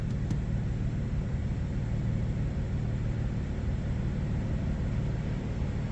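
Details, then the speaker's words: Crashed BMW M2 six-cylinder after reconnecting the deliberately undone plug; now running on all six instead of five, deep steady exhaust rumble with even beat, though a drivetrain fault warning remains. "Sounds like a different car. It doesn't sound as good to be fair. Um, now we're running on all six cylinders and not five."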